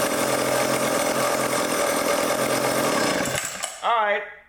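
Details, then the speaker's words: Old vintage foreign chainsaw after carb tuning (idle screw turned in, low speed leaned out, high speed opened): a steady, even buzz for a few seconds before shutting off, with no surging or stumbling. Normal running. "sounds good as we die of carbon monoxide poisoning so I leaned out the low speed a little bit"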